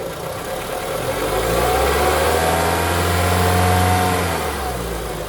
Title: K24 Engine Knocking Noise